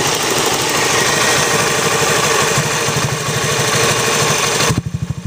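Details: Honda Zoomer-X engine at idle: light clatter on each beat, roughly three per second, then steadier tail; clicking from excessive valve clearance, fix is tappet adjustment.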